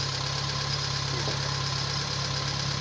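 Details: Kia Pride CD5 petrol engine that would not start, after cleaning the distributor cap, new spark plugs, high-tension cable and charging the battery; steady, even idle with a smooth low hum and no knocks or stumbles, running cleanly.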